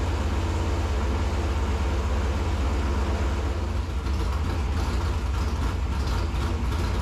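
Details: 1964 Corvette vintage racing car (#49), engine fired in garage after oil-pump priming with a drill: deep, even V8 rumble holding steady speed, no knocking or stumbling, smoky; engine fires up and runs cleanly.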